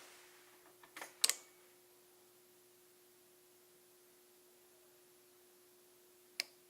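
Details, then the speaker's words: Nissan S12 after wire isolation, relays heard in quiet cabin: quick cluster of sharp relay clicks, then one lone click about five seconds later from the fuel pump relay; relays switching normally after the fix. "and I don't know if you heard that last click after you heard the first series of relays clicking the last click is the fuel pump relay"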